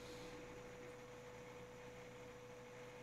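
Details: PCChips PC400 M925LR motherboard desktop from a medical clinic, first power-on in about 15 years: soft, steady whir with a constant hum and no rattle or pitch wobble. The fans spin smoothly while the PC boots, though booting is slower than it used to be.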